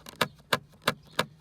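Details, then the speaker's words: Jaguar XK8/XKR passenger side: five sharp plastic clicks about three a second as the seat-rail trim piece, attached to and moving with the seat rail, is pushed by hand; a source of interior rattle. "Now this is the passenger side of my car, and this trim piece is reasonably well attached, but just the fact that I can make that noise with"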